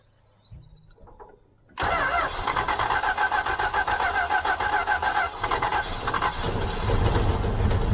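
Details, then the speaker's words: 1978 Dodge Aspen R/T, sat since 1987, carb float suspected full of dirt: cranks, catches, runs uneven and lumpy then slowly steadies on hand-poured fuel, a little smoke; rough running. "i can't get it running consistent enough to really hear it if it's clearing out"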